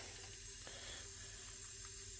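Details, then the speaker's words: 2005 VZ Commodore V6, no start, timing jumped about 28 degrees: leak-down test on cylinder 4 at TDC compression, 80 psi, steady soft air hiss, about 70% leakage; bent valve suspected, camera shows only a dimple on intake valve. "On compression, about 70% leakage there. At we got 80 psi there, 80 psi, and"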